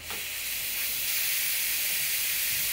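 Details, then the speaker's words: Home radiator on Worcester Bosch boiler system, bleed valve opened with key: steady high hiss of trapped air escaping, no water yet; close valve once water comes out. "you hear that hissing that is air in the radiator"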